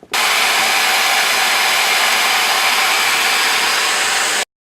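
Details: Hair dryer that was barely blowing air, after clogged intake filter screen cleaned: steady even air rush with constant motor whirr, no rattle or labouring; full airflow restored.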